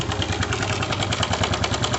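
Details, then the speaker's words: Honda Pop 110 small single idling: fast, loose metallic clatter riding over the beat, a horrible noise; weak cam chain tensioner spring letting the chain slap, fixed by adjusting the tensioner via its bolts without disassembly. "o saastock tá até o doido aqui dentro do motor achar coladeira mais brava do mundo outros ao barulho barulho horrível"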